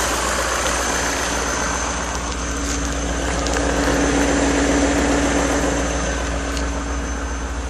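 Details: BMW E39 M5 V8 idling: steady, fairly regular knock about three to four a second above the low rumble, seeming to come from both cylinder banks; cause unknown.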